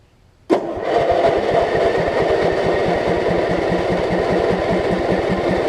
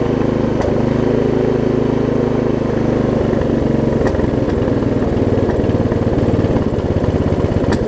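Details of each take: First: Lowe's riding mower, converted to a lawn-and-garden battery after ignition repairs, running without the blade fitted: the engine cranks briefly, catches at once and settles into a steady, even putter with no misses or backfiring. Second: Lowe's riding mower single-cylinder engine, after battery conversion and ignition fixes, running loud and uneven with sharp pops every few seconds, rough-running and backfiring; owner suspects tight throttle linkage, no governor seen.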